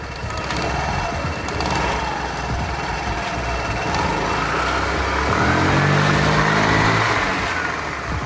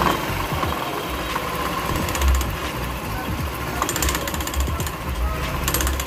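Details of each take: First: Scooter CVT after repair, belt refitted, scored part sanded, nut greased and torqued, cover still off: revs up smoothly and settles back with an even drone; clutch engages without judder, scrape or rattle, normal. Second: Customer's scooter CVT, cover off, a variator part found fitted backwards: fast metallic chattering rattle over the motor, swelling on throttle; suspected centrifugal clutch, found worn clutch shoes scraping metal on metal.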